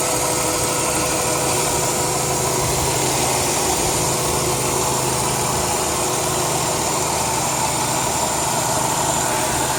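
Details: 2002 Chrysler 300M at idle: smooth idle with constant airy hiss over the engine note; vacuum leak from a failed intake manifold gasket.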